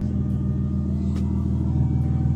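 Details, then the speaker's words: BMW E30 Touring, M50B25 inline six on ethanol, very cold day, after clutch replacement and exhaust/driveshaft refit: smooth, even low rumble at idle, no knock or rattle; runs cleanly. "faut pas s'inquiéter c'est l'éthanol c'est tout à fait normal en plus il fait super froid et ben c'est impeccable tout ça"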